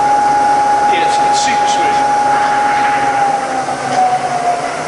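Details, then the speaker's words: Bridgeport milling machine, Vari-speed head, high range: spindle run up and down the speed range; steady clean tone shifting pitch with speed, no knocking or grinding; normal smooth spindle. "And I'll put it in reverse, and reverse is just as quiet. I'll go up and down the range as well."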